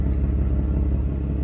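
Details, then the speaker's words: 1992 Mercedes 600SEL V12 idling on a ramp after the hole in the right exhaust pipe was patched. A soft puffing flutter rides on the deep even idle because the exhaust is now clearly leaking on the other side; a separate clicking is also present. "and it's leaking right here clearly"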